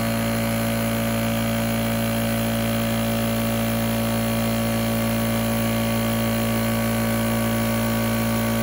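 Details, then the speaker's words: Small portable air compressor (about 2–3.5 CFM class, runs one gun) switched on: steady motor hum at constant pitch with even pumping rhythm, no knocks or squeals; running normally, though its gauge was not reading correctly. "Okay, so we're going to turn it on and you're going to hear it make sound, and then it's going to warm up, and then it's going to kick on."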